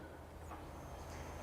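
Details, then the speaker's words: Range Rover V8 under revival after long storage: with fresh fuel and a charged battery, the fuel pump is switched on by button to find a leak; a steady low hum, pumping normally, fuel seen leaking at the back top. "So you can hear it pumping. The fuel pump's running."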